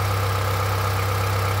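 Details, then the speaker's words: Honda CR-V 3rd generation 2.4, warm, idling with all drive belts removed; steady low hum with a faint regular tapping that remains, so the knock is inside the engine, not from the accessories. "Ну что я могу сказать стук остался стук остался Единственное что мотор тёплый я недавно приехал как бы он стучал ещё"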